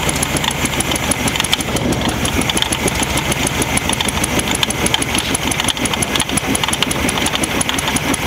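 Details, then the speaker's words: Rare VW Baja Champion Edition Super Beetle air-cooled flat-four, first start in years after timing set: steady, even idle with light fast ticking, no stumbles or knocks, running cleanly on its own. "Well, it runs."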